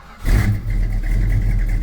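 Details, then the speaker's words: 1972 Plymouth Road Runner 440 V8 with Flowmaster mufflers, after refitting the exhaust manifold flange: sharp blips then steady even rumble, leak chuff gone, only a faint little tick remains; acceptable for the trip home. "little tick actually pretty good all right I can live with that for the trip home"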